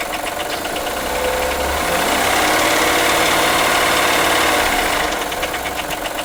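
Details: 2003 Acura MDX, 208K miles, even idle with quick regular tapping knock three to four per second; misfire codes on all 6 cylinders; owner suspects jumped timing tooth, dealer suspects wrist pin or rod bearing; timing belt overdue, valves ticking; unconfirmed.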